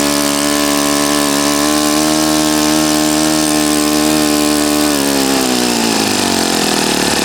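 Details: Customer's Saito FA-40a four-stroke glow engine on 11x6 Master Airscrew prop, Omega 10% fuel, new glow washer, valves set, high-speed needle opened 2.5 turns: loud steady buzzing note holding even, sagging smoothly as throttle comes off; normal healthy running.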